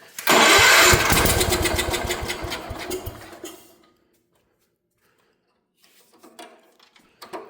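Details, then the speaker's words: 1972 Gravely Commercial 12 walk-behind, barn find sitting for years, points cleaned, spark restored, new air filter, starting fluid sprayed in: single cylinder pops and runs rough about three seconds then dies; carburetor throttle found frozen, choke barely moves. "Now we got good spark again. Starting fluid time. Just a little bit."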